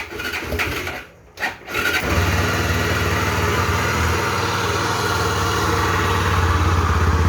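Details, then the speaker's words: Honda XRE 300 / CB 300 single-cylinder engine: catches after brief crank, rough uneven rumble with low knocking growl, a chronic fault in the crankshaft bearing on the starter plate/flywheel/magneto side, not the cylinder head. "Esse barulho galera ele é um defeitinho crônico tá dando nessas motos no rolamento do virabrequim desse lado aqui"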